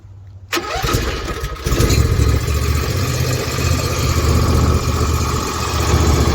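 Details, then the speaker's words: Ferris IS500Z zero-turn mower, about 14 years old, after crankcase seal, PTO seal, oil drain hose replacement and valve lash adjustment: engine cranks, catches quickly and settles into a steady, even idle without knocks or shaking; runs fine. "i can tell you that it runs just fine uh actually mine if i go and start it up real quick so everyone sees it a lot of work but he was very happy"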